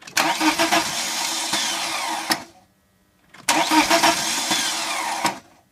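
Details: 1998 BMW 318ti M44 engine hard to start: two cranking attempts of about two seconds each, uneven churning without catching.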